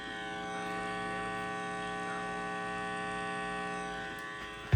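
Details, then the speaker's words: Heathkit IT-12 tube signal tracer at very high gain, checking for a station at the antenna: a steady buzzy mains hum swamps the faint station, ending in two thumps. "Uh, I can hear that faint radio station in the background right there, but there's a lot of other noise cuz I'm having to bring the the gain up so much on here to hear that."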